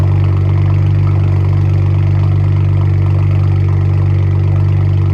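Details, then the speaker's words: Freshly built BMW 335i N54 twin-turbo six (MMP 53/53 turbos), not yet boosted, engine light on from cleared codes; deep even idle with steady low drone, no knocks or misses; owner says it's idling great; normal idle. "for now, it's idling great."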